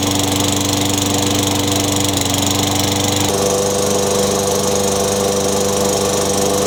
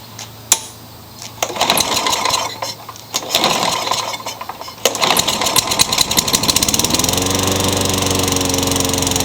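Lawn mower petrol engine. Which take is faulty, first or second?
second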